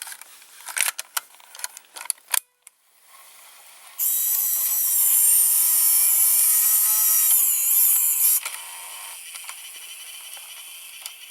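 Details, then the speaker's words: Opened JVC GR-AX33 VHS-C camcorder with a part removed: a few light clicks, then a high whirring loading motor for about four seconds and a soft tick. The mechanism loads normally, though the picture and the VCR buttons don't work. "now we can see the mechanism I have removed the part that was there and voila now we consider the mechanism the whole loading mechanism in action"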